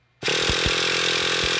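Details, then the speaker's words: Traxxas T-Maxx 3.3 nitro truck starter cranking on the weaker 1500 and 1800 mAh packs instead of the 3300: short, laboured buzzing whir, noticeably slower, as cranking speed depends on the battery used. "yeah you hear the difference now I'll go to the 1500 hear how much slower it is and I'll go to the 1800."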